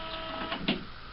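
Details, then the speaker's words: HP Officejet G85 printer/fax/copier after repair (cleaned motor plastic disc and sensors at top back left), warming up for a black copy: quiet whirs and light clicks, scanner head moving, no grinding noise anymore. "It's warming up. The scanner head's moving around, not making any noise. And it's starting to copy."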